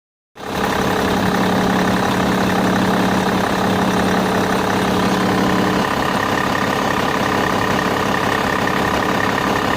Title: Bmw e61 engine strange noise